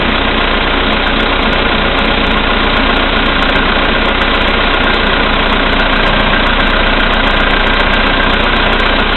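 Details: VW Polo Sedan, CFNA engine, 2222 km, cold start at -5°C after overnight; oil three marks below max, Lukoil 98 fuel. Uneven tapping, about three per second, at cold idle; it grows louder when lights and heated glass are switched on for load. Cause unknown.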